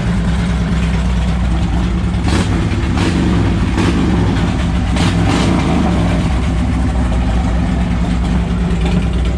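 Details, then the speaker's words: 2007 Harley-Davidson Ultra Classic with replacement 103ci V-twin from a 2014 Dyna Street Bob (25k miles), OEM ECU tuned, about 30 miles since swap: loud deep burble with a couple of clean revs, settling evenly, no knocks or rattles; runs like a top. "it's kind of loud so I'll just fire it up for a second and then I'll rev it out thing runs like a top"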